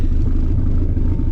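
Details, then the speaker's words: SRT-4 unknown engine, completely resealed, new upgraded fuel system, oil leak fixed, up to temperature at first start-up: deep, even four-cylinder rumble with soft revs and smooth pulses, no knocks or rattles; normal light revving. "That's some little baby revs. Alright. It's good to go. It's up to temp."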